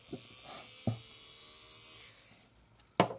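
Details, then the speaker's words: Fleischmann BR 78 model locomotive motor after its pinion was re-glued with superglue and the motor was cleaned, checked before greasing. A thin, even high-pitched whir spins smoothly for two seconds, then stops with a few handling clicks, a healthy motor. "das hält super das Zeug hier Motor dreht nach wie vor der Motor dreht nach wie vor"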